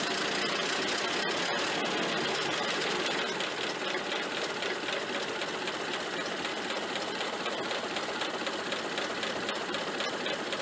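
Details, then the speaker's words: Ford Model A generator rebuilt with new front bearing and brushes, refitted and charging a steady 15 amps; engine runs steady and even with light regular ticking, no whine or squeal. Previous squealing gone, generator sounds healthy. "and the squealing noise is gone i haven't heard it yet so that's good"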